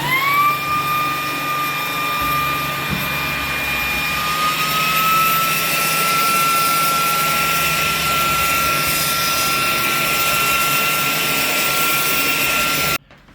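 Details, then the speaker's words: Ryobi 18V PBLSV717 brushless cordless stick vacuum, after a gasket repair fixed its loss of suction, picking up Christmas tree needles: steady, even high whir with a clean tone; suction restored, running normally. "uh it worked great it was not picking up anything earlier so this fix worked"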